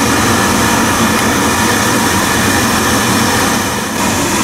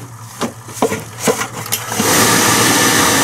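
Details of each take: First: Biasi B-10 oil boiler with Riello burner, just after bleeding air from the fuel line at the pump bleed valve and resetting, burner cover off: loud steady roar with constant hiss, no sputter or pulsing; burner running normally. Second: Biasi B-10 boiler with Riello oil burner, bleed valve cracked and reset pressed after fuel turned on following maintenance: sharp clicks and taps, then burner motor spins up to steady hiss and hum as pump purges air from fuel line.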